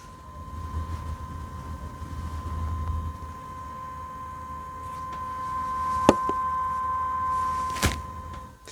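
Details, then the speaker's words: Thermalright Grand Vision 360mm AIO liquid cooler with the pump at 100% speed: a steady high-pitched whine near 1 kHz, while at 50% the pump is barely audible; the pump sits near the tube at the end of the radiator. "If you can hear that whine, because I can."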